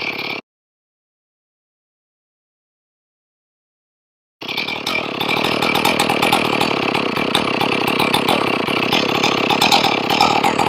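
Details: Ported Stihl 461 chainsaw after a blown-out plug repair, warm after a few minutes off: fires and holds an even, buzzy two-stroke idle. The idle is set too low and is being adjusted toward about 2700 rpm.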